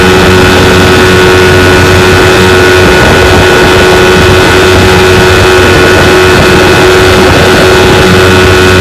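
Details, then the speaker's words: 1992 Evinrude 15 HP two-stroke outboard held wide open for about 10 minutes on the water, pushing a john boat about 18 mph; steady even buzz with no misses, surging or knocks and no jumping out of gear; normal. "Been running it for about 10 minutes wide open. Pushes my John boat about 18 miles an hour."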